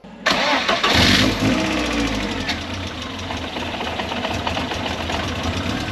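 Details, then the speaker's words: MK1 Ford Fiesta with Zetec engine swap, after cambelt re-timing: petrol engine cranks, fires and settles into a lumpy, uneven idle, caused by a vacuum leak through the breather (PCV) pipe; idle smooths once the pipe is clamped. "so you'll all recognize this engine it's really lumpy it's really horrible on idle"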